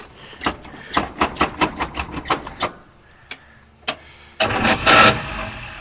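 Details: 1953 Oldsmobile Rocket Super 88 barn find, first start after brakes, tires and new exhaust, fuel pump on, generator not charging: even chugging starter strokes without the engine catching, then quiet; extended cranking, no start, cause unclear.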